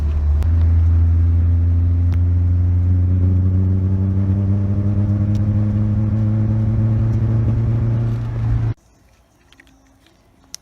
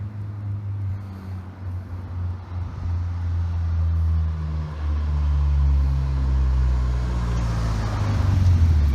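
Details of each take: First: Nissan KA24DE petrol four-cylinder idling with a deep, lumpy, uneven beat from a bad steady misfire, then shutting off; leaking, torn fuel injector seals diagnosed as the cause, a spark plug also replaced. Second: Nissan KA24DE after replacing a torn, leaking fuel injector seal and refreshing spark plugs, on a test drive: steady low engine drone building smoothly under load with no stumble or miss; misfire appears cured.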